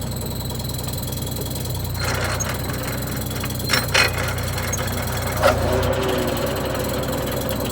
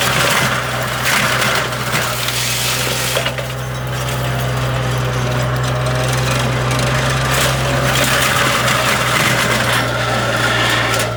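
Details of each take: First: AGT flail mower on a John Deere 35D mini excavator, just shut down: steady hum with a few loose metallic clanks as the rotor slows, which is the flail knives dropping once centrifugal force is gone. Normal. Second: AGT flail mower, made in China, on a John Deere 35D mini excavator cutting tough brush. A steady hydraulic drone with irregular metallic clanks and knocks as the flail drum bogs down and jams, which happens repeatedly.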